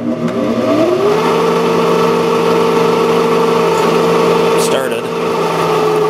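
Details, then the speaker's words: 1995 Sharp Comfort Touch 10,500 BTU air conditioner, before repair: hum rises quickly at start-up, then holds a steady loud whine with a rough edge; fan motor ball bearings worn and dry, needing oil. "all right let's turn on the 10,500 I think the bearing is pretty noisy on this one so so be prepared for that yeah that bearing sounds terrible that needs a lot of oil"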